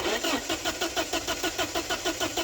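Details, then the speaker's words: 1989 Porsche 944 2.7 no-start: steady starter cranking about five turns a second with no firing while injectors are tested into bags; injectors not spraying. "we're just gonna crank it and see if they fire into the bags"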